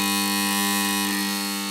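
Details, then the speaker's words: Magnetic ballast in a Mazda Esthelux 400 luminaire with a worn BF 250 lamp: loud, steady mains buzz with a hard humming edge that eases slightly during warm-up; it goes nearly silent once the lamp is at full output. "Donc ça fait quand même vachement beaucoup de bruit. Mais dès que la lampe elle est à fond, ça se calme et on n'entend quasiment plus rien."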